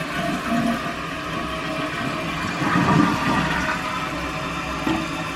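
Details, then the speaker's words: After replacing the fill valve with a Fluidmaster kit on a toilet that kept running, a full rushing flush is followed by steady refill water that settles and shuts off with no running. The flush and refill are normal. "it's like everything is working perfectly waiting for that water okay so it got to where it needs to be and it shut off i don't hear any running"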